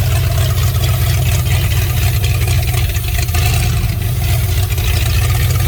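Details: Fox body Mustang V8 at its first start in 18 years, with vacuum leaks and no upper radiator hose or coolant yet. The steady, loud, raw, unmuffled idle rumble is caused by an exhaust joint left unwelded, pending welding at an exhaust shop.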